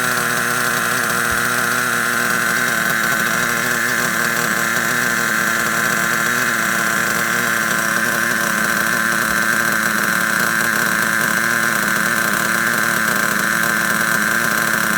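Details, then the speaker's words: Vintage Traxxas Rustler nitro engine, first start in 1.5 years, with idle turned up: a high, steady buzzing idle with a soft, burbling edge. It may still be slightly rich and is to be leaned out a little. "Now, still sounds like it could be slightly rich. Just lean it out just a little bit and let's see what happens."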